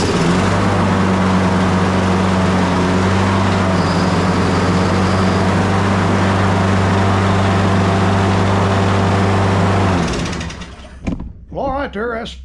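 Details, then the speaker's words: Briggs and Stratton 190cc Quantum engine on a Craftsman push mower, sat four years, first-pull start after fitting a new carburetor (old one had a seized throttle); runs smooth and steady with an even drone and no misses, then shuts down. Normal running. "sitting four years crank first pull with a new carburetor"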